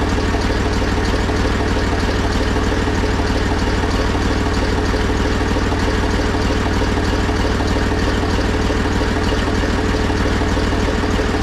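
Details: Zetor 4911 tractor diesel, stored since 2012 (engine renovated before storage), restarted with strong battery, core plug at back of head temporarily fitted: steady even clatter, firm low thump at constant idle, no stumbles or knocks; healthy idle.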